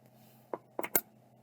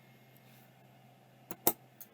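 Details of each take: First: Old hard drive, suspected stiction. Faint electrical hum, then three quick clicks in under half a second and nothing; the drive tries to start but never spins up. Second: Vintage hard drive spin-down: faint fading whir, then two or three sharp clicks as the heads auto-park; bearings sound good and the drive seems to work, untested on a computer.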